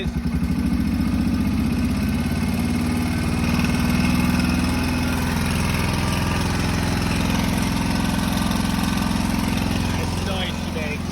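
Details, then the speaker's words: Honda 650 motorcycle, after cleaning the main ground strap and using a good battery: uneven idle with a rough irregular beat of three or four pulses a second; abnormal internal engine noise, not too bad at idle, cause unclear; it then stalled. "Not good. Getting better it sounds like here. But still doing it. Yeah, it's not too bad in idle. Not sure what that is, but it can't be good."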